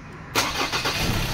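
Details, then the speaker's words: 2003 Ford Ranger automatic, hot restart after 45 minutes running: brief crank, engine catches at once and settles into an even beat; hard hot starting fixed by cleaning the camshaft sensor. "engine starts ayan so aan po mga kalbaryo wala ng hard starting ngayon"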